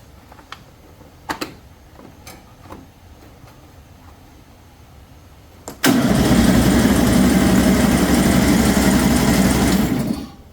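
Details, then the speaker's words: 2007 John Deere Z225 zero-turn mower with 553 hours, after carburetor and head gasket work: the starter spins it evenly for about four seconds but it never fires. The fuel solenoid on the carburetor was later found unplugged. "still make some pretty gosh awful noises, but not like it was now. She's not wanting to start."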